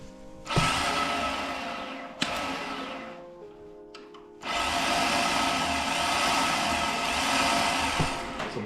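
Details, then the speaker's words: BMW M52 turbo swap in an E46, first start attempt without throttle body: starter spins with a high free whir but the pinion isn't throwing out to engage the flywheel, so the engine doesn't turn over. "That's not engaging on the flywheel. It's not thrown out."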